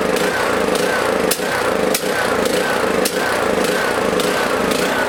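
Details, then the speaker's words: Small lawn mower engine in a fuel additive test; rough running with irregular pops and stumbles every half second to second, harder to start; owner suspects small amounts of moisture in the fuel. "this one a little harder to start a little more you know popping and spitting and sputtering probably small amounts of moisture getting in there"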